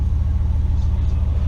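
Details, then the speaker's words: 2003 Chevy Silverado 2500HD after blower resistor replacement, truck idling, blower at top speed: strong steady low rush of air, smooth with no rattle or squeal; fan steps up each setting and shuts off with the power button, working normally. "got it coming out yep each time i push it up we get a little more typical top level you can hear screaming there that's really good and if i hit this power button and it turns off [Music] and the blower shuts off just like it's supposed to work"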